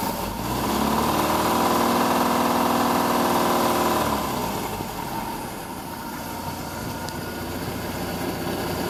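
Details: MerCruiser 470 marine engine running: steady, rapid knock about four per second over the exhaust note, present since new; cause not pinned down.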